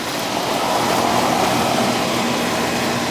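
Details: Old Amana R22 AC condenser, seasonal check on a warm day around 70–72°F: still working fine; steady, even fan whoosh and smooth compressor hum with no rattles or squeals; running normally.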